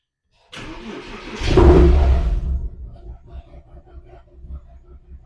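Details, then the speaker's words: Porsche Cayman S with engine management light and code P0303 (cylinder 3 misfire), quick start: short crank, rev flare, then an uneven, lumpy idle that stumbles as cylinder 3 misfires. ">> You can hear you can definitely hear the misfire. And then if you look in here, you've got um engine management light and uh check engine vision workshop."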